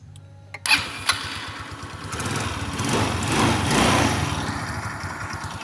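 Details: Rusi Passion scooter that wouldn't start, after checking loose ignition switch and accessory wiring connections with power restored: a few sharp cranking bursts, then it catches and settles into a steady, even run without misses; running normally.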